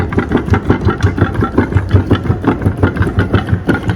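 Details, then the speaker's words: Walcker pipe organ, Lutheran church, Kazan: hollow wooden clacking about three a second over the organ sound, tracker rocker arms/struts knocking on bare cardboard where soft cloth or leather padding should be; noisy tracker action. "Because, ah, the tractura sounds louder than..."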